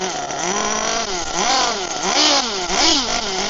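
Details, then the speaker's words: HPI Firestorm nitro RC truck after fixes for stalling when braking: the engine winds up and down smoothly through repeated throttle blips and brake applications without bogging or dying; accelerating normally. "let's get it going again but when I applied the brakes it didn't stall so brake on steady"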